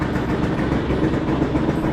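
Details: Piaggio Skipper 150cc scooter, cold morning, after repair for seized piston and loud engine with piston rings replaced: steady, even low idle with no knocking or tapping over the exhaust note; engine sounds healthy.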